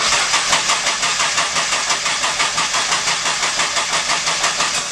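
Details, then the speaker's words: 2009 Nissan GTR, stock engine with upgraded turbos, run on ethanol, just had an oil change: fast, uneven ticking knock about three per second on cold start that went away once warm; owner suspects fuel-diluted oil allowing chain noise, cause unconfirmed. "there was a a knock sound and I'm not sure exactly what it was after the card did warm up it seemed to go away"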